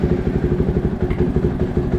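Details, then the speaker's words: 2023 KTM 500 EXC-F single just started after fitting a TacoMoto/Athena GET ECU and Graves exhaust: quick, even thumping at fast idle, no misses or knocks; idle judged good, target around 1900–2000 rpm. "Oh, there we go. Listen to that. You think that idle's good? Or we want to turn it up?"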